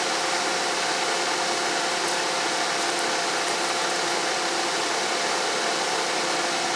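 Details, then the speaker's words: 1997 Toyota Corolla 1.6 L that overheats in traffic, with the suspect part's connector unplugged and ignition on: the radiator cooling fan comes on with a steady, even rush of air and a faint hum. This confirms that part was stopping the fan. "okay so now I have the connector off and if that indeed is the part that's at fault then when I turn the ignition on the cooling fan should come on"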